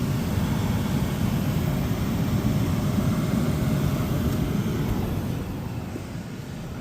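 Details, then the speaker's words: MG ZS blower motor with ignition on, after its wiring connectors were rejoined and heat-shrunk: a smooth, steady rush of air with an even low hum and no rattles or squeals; nice airflow, the blower runs normally. "So ignition is on. Okay, I can hear it already. Yeah, we have nice flow."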